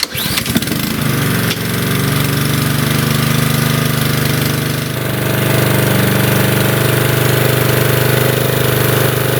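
Starts with a rattle, then settles into a steady, even small-engine drone with no misses or knocks; runs smoothly.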